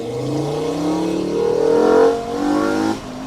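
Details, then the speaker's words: Five-cylinder-swapped Mk2 VW GTI driven hard; a supercharger-like whine climbs in pitch with the revs under acceleration. Owner suspects the junkyard transmission, whose gear oil was never changed and may be low; plans a gear oil change. "that whining noise is definitely something in the TR so we should we get gear oil changed um and get some fresh fluid in it"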